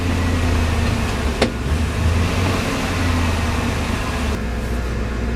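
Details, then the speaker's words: External Chinese fuel pump (max about 50 psi), once mounted directly to the car floor, now refitted on four insulators; steady, even engine hum with no pump whine, much quieter after the fix. Normal fuel pump operation. "a difference it's a huge difference you know now you can actually cruise in the car and talk to one another"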